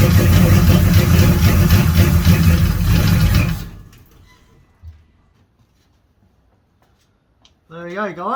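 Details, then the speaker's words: 350 Chevy V8 freshly installed in an HQ Holden ute, first start with headers fitted: catches and runs lumpy and uneven for a few seconds before dropping off. Ignition timing is well out and needs adjusting. "have to play with the timing a bit The timing's All Out"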